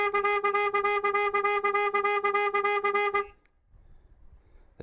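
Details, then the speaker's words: 2025 Ford Transit Custom MS-RT hybrid petrol with upgraded aftermarket alarm: loud pulsing siren about three times a second, triggered by trying the boot handle while armed, indicators flashing; alarm working normally. "Now, as you can hear, the alarm's triggered, the indicators are flashing, and the alarm's going off."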